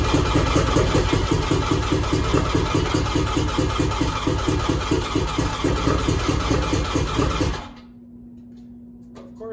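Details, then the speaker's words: Two-stroke triple (1100) with hard-starting problem, outer two plugs removed: loose uneven popping about two firings a second on the middle cylinder only, then shuts off; starts easily on middle cylinder, cause unknown. "so it'll start and run easily on the mid cylinder with the other two plugs out"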